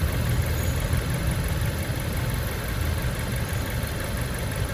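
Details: Fiat Freemont idling warm after replacing the leaking plastic thermostat housing; the cylinder head read 108 °C beside the housing. Smooth, even low rumble with no knocks, misses or whine; steady, healthy idle.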